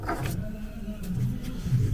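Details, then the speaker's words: 2018 Vauxhall Crossland X with 33,000 miles, alternator belt removed: the AC compressor pulley spun by hand gives a dry, uneven rumbling growl, a worn pulley bearing, and the engine runs quiet without the belt; the compressor needs replacing. "now I've removed that alternator belt um it's quite obvious that it is the air conditioning pump we have a little spin can you listen to"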